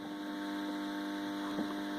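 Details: 5.1 amplifier: steady low hum from the speakers at one constant pitch throughout; mains hum, with the transformer mentioned but cause not pinned down.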